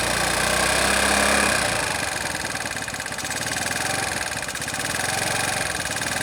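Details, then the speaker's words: Znen small engine idling unevenly at about four beats a second, with surging, punching pulses. Idle improves with the vacuum left exposed but still punches; covering the EGR makes it die out, with a fuel leak. Cause suspected, not confirmed. "by leaving the vacuum exposed i get a better idle i do still get and you can hear it punching with that move so that's got to go"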